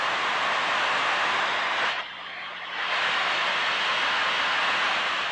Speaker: scan the area closing in on the leap site by listening for its characteristic rushing sound